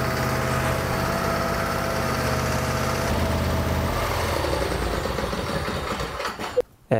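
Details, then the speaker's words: Craftsman lawn tractor with Briggs V-twin, hard to start since new, after choke cable adjustment removing linkage play; runs steady and even several seconds, no misses or hunting, then shuts down; normal running. "And now you'll notice when you go to start it, it starts much easier."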